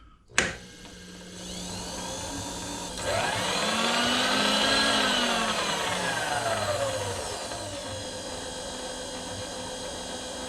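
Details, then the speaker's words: Precision Matthews PM-25MV mill, new X-axis power feed at lowest speed traversing table across and back: motor whine rises, holds steady, then eases off; gears not yet greased; feed drives smoothly. "so it does work it functions we got it in there it moves the table back and forth"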